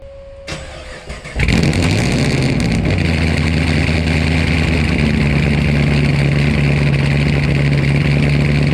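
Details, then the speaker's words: V8 after new TSP blower cam swap, first start-up: brief crank, then settles into a choppy, lopey idle with strong beat; slightly more tone than before; healthy. "Yeah, that sounded freaking crazy. I ain't gonna lie, I did not expect it to be like that. Some of you might say it sounds the same, but I can definitely tell a difference."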